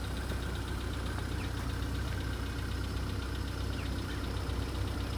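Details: VW Polo Sedan (CFNA engine) cold start in snowy weather: a dull, fairly loose knock about three times a second over a steady low drone. The knock lessens after about five minutes; source unknown.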